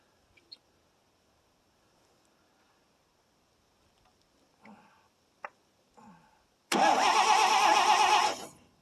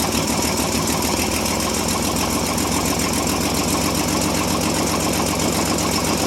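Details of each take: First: 1957 International S120 4x4 pickup after about four years sitting: pause, then about two seconds of steady cranking that never catches; faint, weak spark, owner suspects points or coil; crank no start. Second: 1957 International S120 4x4 pickup, old six, once stuck and now restarted after about 4 years sitting, fed gas into the carburetor, throttle linkage seized: settles into a steady, slightly lumpy idle with an even low beat, running on its own.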